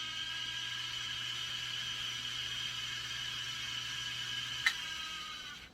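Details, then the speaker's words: Revox B77 MKI reel-to-reel deck after restoration, fast forward: high steady whir then a click as it stops; the mechanical tape counter is making the noise, other transport functions working. "That's the counter making that noise, and we're gonna rewind."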